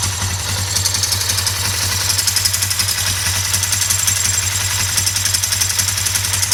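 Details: 2008 Suzuki GS500 twin idling with a quick, sharp metallic ticking over the engine note, which appeared after the valve shims were replaced; the throttle also hangs despite lubed, adjusted cables; cause unknown.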